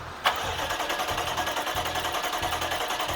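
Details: 2020 BMW X6 V8 with slow, hard starts, misfires and blue smoke; starter cranks with uneven beats about two to three a second and no clean catch. Cylinders are flooded by a leaking injector stuck open, being cranked to burn off fuel.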